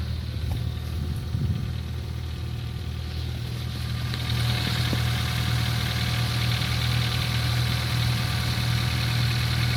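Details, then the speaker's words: Ford Focus 3 at idle, knock appeared after an oil change at second service: steady idle with fast even diesel-like clatter, about four knocks a second; source of the engine knock unclear. "Вот что за шум был? Как дизель при холодном запуске."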